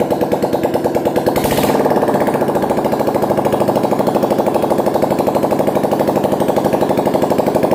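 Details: Old Pulsar motorcycle single-cylinder engine after a full engine rebuild (original camshaft mentioned), running: a steady, unbroken beat at about three pulses a second, with a brief early hiss; it runs healthy and smooth.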